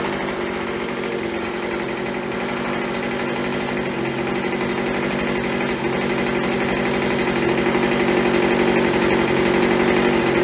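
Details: Craftsman (MTD) B2000 25cc two-stroke blower after carb clean, carb kit and trigger modification ("won't stay running" fixed), about 2700 at idle; a steady buzz climbs slightly in pitch and holds cleanly, no surging or stumbling; normal running.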